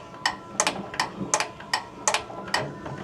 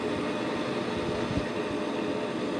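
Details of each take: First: Bryant two-stage gas furnace, no heat, house at 54°F: sharp little clicks about every half second as a control board relay tries to energize but the draft inducer motor never starts; suspected bad control board. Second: Bryant two-stage gas furnace with a no-heat fault and the house at 54°F, fired by jumping R to W at the control board. It starts with a steady even whoosh and low hum, no knocks or rattles; normal startup.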